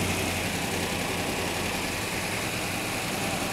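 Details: V8 running without air cleaner while the air-fuel mixture is adjusted: even, steady idle with a soft continuous rumble and no knocks or misses; normal idle.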